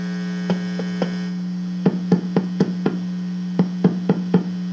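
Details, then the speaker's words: 12AX7 preamp tube warmed up in a microphonic analyzer, side one tested, no signal injected: steady mains hum with dull tapping clicks that die instantly without ringing; judged a good, non-microphonic tube. "even though we hear that remember we are not injecting a signal at this point so the grid is very sensitive at this time i would say this is a good 12ax7 tube"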